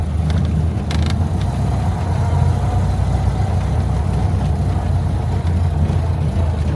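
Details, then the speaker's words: Barn-stored classic Corvan, carbureted with choke and a driver-adjustable main jet mixture: starts nicely with a deep, slow, steady putter with no misses; runs cleanly but idle RPM set a bit too low and needs raising. "It started up really nice, and it runs. It's a low RPM, is a little low. We'll have to increase a little bit on it, but we're gonna just turn it off anyway."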